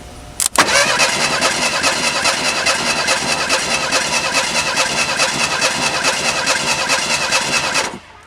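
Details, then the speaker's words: 1987 Ford Thunderbird Turbo Coupe sitting over 18 years: starter cranks steadily about two and a half beats a second for seven seconds without firing; owner suspects fuel pump not primed enough. "That's the sound it makes. Alright, let's prime this fuel pump up a little bit more. I don't think it's quite charged enough yet."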